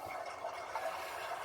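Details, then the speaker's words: Water heater tank filling after its leaking supply faucet was replaced with a SharkBite-fitted ball valve: steady soft hiss of water with no spurting or dripping. Valve shows no leaks; normal filling. "So we can just let the water tank fill up, and then we'll see how the connection is down here."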